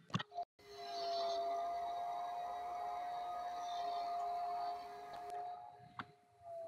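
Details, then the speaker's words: Elegoo Neptune 2S 3D printer power supply fan with worn bearing, supply voltage trimmed down to cut fan rpm and noise; thin steady mid-pitched whine over a soft airy hiss, fan bearing whine. "so the point is that if we run the fan this bearing is not in good condition if we run the fan at a lower voltage the rpm is going to drop"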